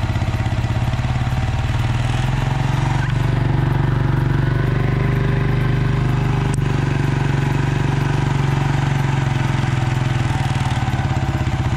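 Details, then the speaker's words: 1996 Suzuki King Quad 300 4x4 ATV single-cylinder just started after carburetor rebuild, air box and air filter off so likely slightly lean: steady low thump about four beats a second, even, no misses; normal running. "i think it's going to run good once we get the air box back on there"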